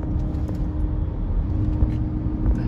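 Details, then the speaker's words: Chevrolet Suburban considered as a tow vehicle, on a test drive: a steady mid-pitched howl from the rear axle/differential over low road rumble. It is judged to need an axle. "the hell was that noise? The howling? It's the rear. The rear howls a little bit."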